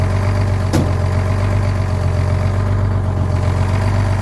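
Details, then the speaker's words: Old diesel truck, cold weather, fitted with muffler, just started on new batteries: steady deep low rumble, even idle beat, no stumbling or misses; healthy idle. "Oh yeah, Dougie. Basically started right up. I did end up putting a muffler on this truck because when you're going down the highway, you can hear it from like 10 kilometers away."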